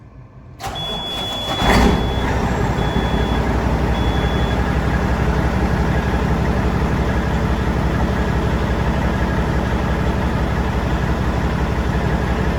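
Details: Peterbilt truck diesel after oil service: cranks, catches and settles into a steady even idle with no knocks or misses; oil pressure confirmed, sounds healthy.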